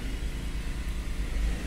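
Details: 2012 Nissan Sentra 2.0 at idle after replacing a faulty MAF sensor that read 4.5 g/s at idle, with P0300 and stalling. A low, even rumble with no stumbles or misses, now reading 2.6–2.7 g/s. Smooth, healthy idle.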